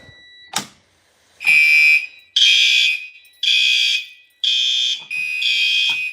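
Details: A fire alarm system is activated on a countdown: a repeating high alarm tone in bursts about once a second, with faint relay clicks heard inside the panel. Normal alarm activation.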